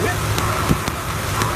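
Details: Toyota Tacoma 2RZ-FE idling unevenly with sharp pops and stumbles about every half second; factory original Sumitomo plug wire insulation broken down, letting spark cross into another cylinder, causing misfire.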